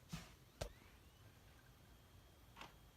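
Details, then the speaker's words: 2005 Dell Inspiron 9300 laptop at power-on: a few soft clicks, then a faint whine climbing in pitch as the disc spins up; normal DVD drive spin-up. "could hurt if you didn't hear the DVD drive right there"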